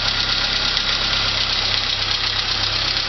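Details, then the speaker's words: Saab 900 turbo after repair of oil pressure loss, where a steel fragment had jammed the relief valve open; with oil pressure restored the engine idles steady and even under a constant hiss, no knocking or ticking, and is quietening up. "Smooths out to where an engine supposed to sound like well it's quietening up already here"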